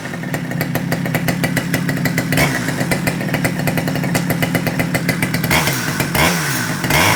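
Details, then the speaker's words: Stihl 009L chainsaw after cleaning and repair for a no-start, started with a little choke and the throttle locked: crisp, even two-stroke buzz at a steady fast idle, then clean revs. Now runs smoothly. "[Music] that sounds all right"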